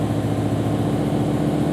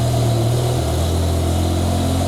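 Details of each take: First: BMW E63 M6 S85 V10 idling with a slightly uneven, lumpy beat; fault codes show cylinder 9 misfire, engine in safe mode on half the motor, caused by a failed cylinder 9 ignition coil. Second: BMW E60/E63 M5/M6 V10 after replacing the failed cylinder 9 ignition coil, exhaust cutouts off: smooth even idle with steady low drone, no stumble; running cleanly on all cylinders.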